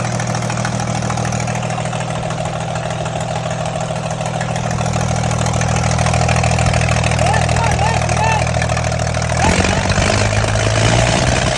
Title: Engine cylinders misfire, let’s find out